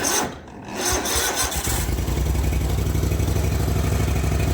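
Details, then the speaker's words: Zero-turn mower just after carburetor rebuild, battery a little low: slow, dragging crank for about a second before catching into even, quick-firing idle; weak battery, charger connected. "Battery is a little low, so it's cranking pretty slow there."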